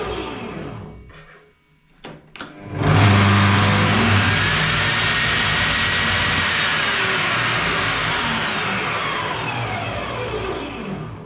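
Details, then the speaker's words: Bosch GTS 635-216 table saw switched on: motor spins up to a steady high whine with a heavy low buzz in the first second, then settles; startup vibration strong enough to move a wrench on the table. "alors je rallume une deuxième fois faites bien attention début vous entendez une grosse vibrations"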